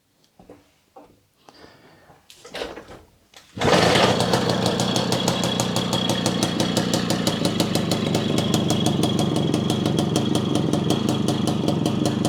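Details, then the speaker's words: Puch Maxi two-stroke moped, one owner, unused for years, after main jet changed from 52 to 54 to cure bogging above half throttle: catches after a few attempts and holds a crisp, even buzz; healthy running. "that made all the difference now it runs perfectly and you can give it full throttle no problems"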